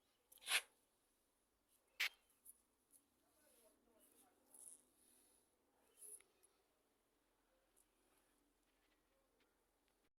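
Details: Honda CBR300R at about 55,000 km daily highway use, starting and idling with fast metallic cam chain clatter from a broken automatic cam chain tensioner; fixed by converting to a manual tensioner.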